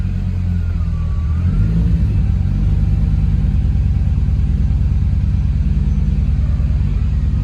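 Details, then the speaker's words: 1.8T-swapped Toyota MR2 on a base map, driving: deep steady low rumble with smooth even firing, no knocks or misses; normal engine running. "As you can see, it drives. Sounds good too. This is just a base map, but it runs lovely."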